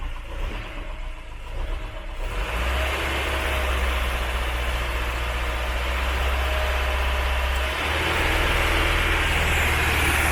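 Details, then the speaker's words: Ford Mk3 Cortina four-cylinder idling on three cylinders: a lumpy, uneven beat of about four pulses a second. Cylinder two is dead in spark-kill tests though compression is fine; the owner suspects a bad valve. "that's running on three cylinders so that valve is knackered it doesn't show up in compression though but cylinder two is doing nothing at all"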